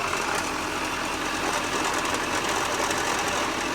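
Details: 2006 Subaru Forester on jack stands in gear with the wheels spinning, heard from underneath: a fast, loud, steady clatter and whir from inside the automatic transmission, not the engine.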